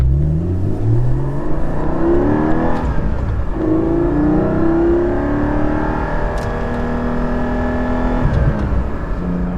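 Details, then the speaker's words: Stock Porsche 718 GT4, first drive: smooth clean rising engine note pulling hard through the revs, no knocks or rattles; healthy engine under acceleration. "just listen to that it's freaking awesome just wait till we get a loud exhaust on this thing"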